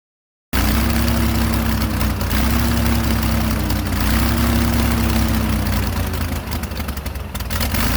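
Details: Airboat engine with an even drone at a fast idle around 1200 rpm (should be 450–800) that won't settle lower; air leaking past the carburetor base gasket.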